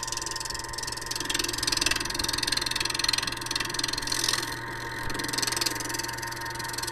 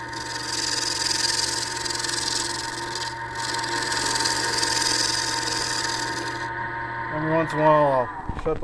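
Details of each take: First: Lathe turning a horn cup body on a mandrel with a large thumbnail gouge: rapid uneven tool chatter over steady hum because the workpiece is not yet round; chatter disappears toward the end. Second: Wood lathe turning a horn cup body on a mandrel with a large thumbnail gouge: steady motor hum under an even, hissing cut, the chatter heard earlier on the out-of-round section gone toward the end.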